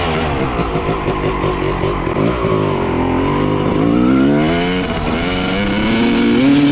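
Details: 1995 Honda CR250 two-stroke dirt bike with the old flywheel refitted: revs wander and sag on throttle, stumbling before climbing to a higher wail. The bog is traced to the faulty old flywheel; the owner guesses a magnet may be off.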